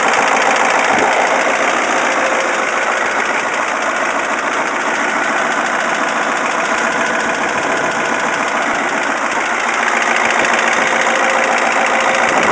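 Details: Caterpillar 3208T diesel in 613C scraper, previously run hours with injection pump over-advanced, fresh injection pump and turbo, ~25 hours since: hard rattling knock three to four raps a second at idle; stops when #4 (partly #2) fuel line cracked, less when warm. Cause unknown.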